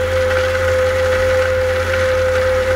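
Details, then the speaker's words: New Grundfos SCALA2 home booster pump station (pump, motor, membrane tank, check valve), first start running against a closed valve: constant mid-pitched motor hum over a low even drone, no surging or rattle; normal. "работает на закрытую задвижку."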